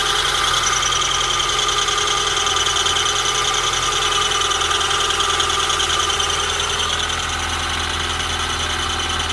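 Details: Honda Prelude BB3, cold engine at idle: thin high squeak with fast light ticking, persisting until working temperature is reached; source unknown.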